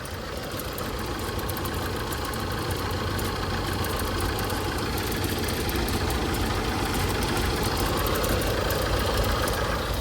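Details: Tata Safari Storme diesel at idle, heard from inside the cabin: a fast, uneven chattering rattle, about four beats a second, over the diesel clatter; points to a worn alternator bearing.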